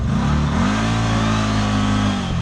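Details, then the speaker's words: CFMOTO Z-Force 950 HO EX side-by-side climbing in low range during first test ride: engine climbs, then hangs at one fixed pitch with no power; hitting the low-range rev limiter. "I hit the low range limiter a bit because like it just kind of hit an RPM at 22 kilometers an hour and it stayed there."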